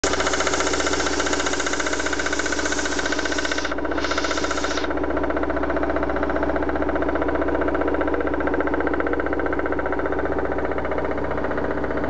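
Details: Loud, regular knocking, about three per second, over a steady idle from a BMW 316i M43 engine; the cause cannot be told by ear, and the owner wants it identified before opening the engine.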